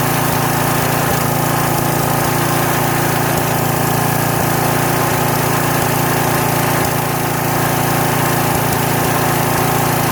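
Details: Troy-Bilt pressure washer small single-cylinder engine running for the first time in 4 years, only fresh gas added: steady, even putter at constant speed with only an occasional faint skip. Normal running.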